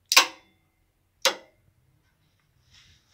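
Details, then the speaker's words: Renault Clio 3 1.5 dCi A/C compressor clutch energised directly via a test circuit with a 10 A fuse and switch, refrigerant circuit empty; sharp metallic clacks about a second apart as the clutch pulls in properly. "J'appuie là, on entend le clic plutôt le claque de l'embrayage du compresseur"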